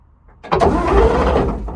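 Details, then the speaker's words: Chieftain Mk11 main battle tank, left outdoors about 30 years, diesel: starter catches and spins the engine over at a steady even rate without firing, cranking to prime the governor; cranking sounds healthy. "oh it's cranked that's going to go uh right just crank it a bit more to Prime this governor"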